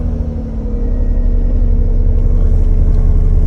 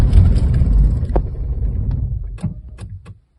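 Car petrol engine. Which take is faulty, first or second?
second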